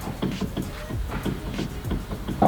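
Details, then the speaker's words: BMW E46 M3 up in the air, steering wheel rocked side to side: soft irregular clunks with no grinding, which is normal steering shaft noise. "yeah you hear that noise that's the steering shaft so it's totally normal"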